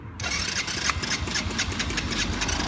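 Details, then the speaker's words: 1986 Yamaha Moto 4 YFM80 quad with a new carburetor, previously only bump-started, first electric-start attempt: fast steady starter whir with an odd cough but no catch, cranking without starting. "don't think it wants to start. Sounds like it wants to start. It's about to."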